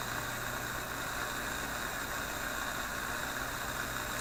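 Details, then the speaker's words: Philips 922 vacuum tube radio on current-restricted supply around 115–120 V; a steady hiss over low mains hum with no crackles or pops, though owner suspects IF capacitors as noises later return: normal reception without static crashes. "I don't really hear those static crashes anymore Alison's pretty steady"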